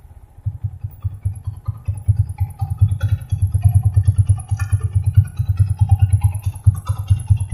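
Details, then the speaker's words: Yamaha Vixion at idle after fuel line opened, fuel pressure about 2 bar (30 PSI), weak: idle thumps unevenly about two beats a second with occasional misses; rough running, weak fuel pump suspected, replacement advised. "Jadi udah agak lemah, tapi suara berebutnya udah agak hilang, udah agak bagus ya. Mungkin karena kotor-kotoran tadi."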